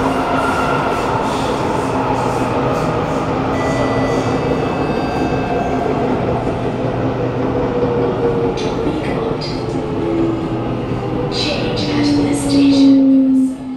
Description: Note that at car 2326 A1/B1, when decelerating at Dhoby Ghaut, the motor made a very loud vibration and since it was also underground, the vibration was very loud as well!